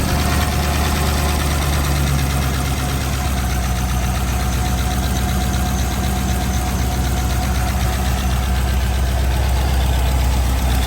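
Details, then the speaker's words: C5 Corvette LS with new Track Weapon cam and 243 heads, first start: loud uneven clatter at roughly four per second over a heavy V8 idle; valvetrain noise because the pushrods are too short to take up lash. "So that noise can really make you feel like you blew your engine up, but it is just the fact that my push rods are just not long enough."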